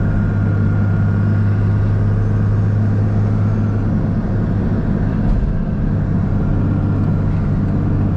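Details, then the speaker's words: 2002 Cummins Ram diesel with Fleece Cheetah HX35 turbo, new Mishimoto intercooler and 125 hp DDP injectors, heard while driving under acceleration: deep diesel rumble with a faint steady turbo whistle building boost; healthy, strong spool. "Oh, the sound, the turbo. Turn the AC down, sacrifice some AC, just listen to it."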